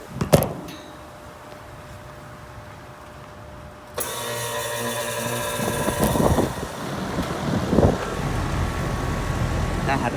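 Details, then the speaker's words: 2007 Rheem 1.5-ton air conditioner with reciprocating compressor, outdoor unit: quiet, then compressor kicks in with firm low hum and settles straight into steady even run; normal reciprocating startup. "nice startup though that is purely how reciprocating should start up"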